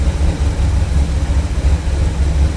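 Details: Cold start idle after fixing vacuum leaks: steady, even low rumble with no knocks, misses or hiss; normal cold start idle.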